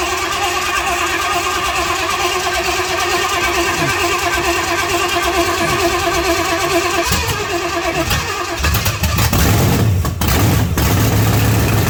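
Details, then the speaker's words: 1979 Pontiac Trans Am with freshly overhauled 400 V8 on first start through open pipes: catches, idles loud and lumpy, then blips up; uneven rich idle, idle speed set too low and needs fuel taken off. "Alright. I think I got to turn the idle up a little bit. Take fuel off of it."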